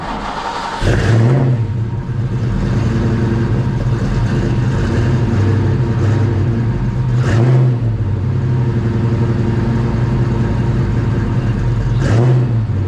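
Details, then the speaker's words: 30-year-old Fox-body Mustang started after sitting unused since February: the engine catches, settles into a steady rumble and takes three clean throttle blips rising and falling smoothly; runs fine after sitting. "so i haven't driven the car since february so hopefully we won't break down i was surprised it started up"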